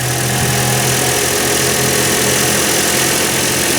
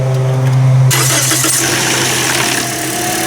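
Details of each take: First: Toyota Corolla petrol engine just restarted after repairing rodent-chewed wiring, battery reconnected so the computer must relearn; slight front chain rattle noted. Idles steadily and evenly, with no missing beat or stumble. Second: Toyota Corolla first start after repairing rodent-chewed wires with the battery disconnected: starter whirs, engine catches, then a light chain rattle from the front over the fresh idle; not confirmed.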